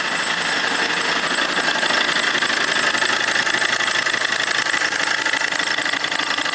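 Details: Opel Corsa D 1.3 CDTI diesel running with a constant thin high-pitched squeal over the engine; owner first suspects the belt, not yet confirmed.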